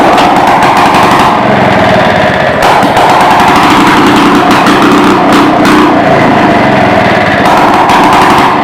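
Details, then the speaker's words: 1940s (believed 1946) two-stroke rototiller, out of gear, running again after years stored in a barn: harsh, very loud rattle stuck at one speed because the throttle cable is broken; kill switch doesn't work, very loud muffler. "throttle cables broke can't throttle it up or down kill switch doesn't work choke her out she's just as good muffler yeah she's loud I mean loud my ears are still ringing"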